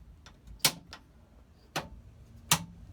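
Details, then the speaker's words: Second-hand 711M race car engine after new coil, petrol and battery: three sharp single clicks about a second apart with no crank. Starter clicks but fails to turn; owner suspects a sticky solenoid. "Yeah guys, at the moment we are having an issue with the starter. It seems like the starter is, the solenoid is sticky or something."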